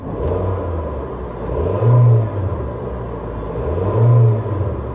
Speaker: Yeah, peppy little thing, isn't it? Wow. I'm not joking. It's kind of a peppy little four-banger.